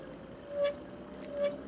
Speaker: My rear brakes are squeaking a little.